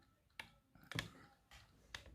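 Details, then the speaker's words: Hornby Class 67 Pullman model loco on the programming track of an ESU ECoS command station: sharp single clicks about every half second in a quiet room, the motor pulsing normally while the decoder is scanned. "that little clicking you can hear guys is actually a loco there it's the motor doing that"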